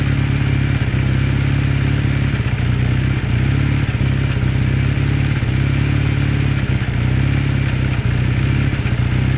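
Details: 1981 Kawasaki KZ440 warming up at idle: steady regular light knock over the low engine drone, constant at this speed; knock from inside the engine.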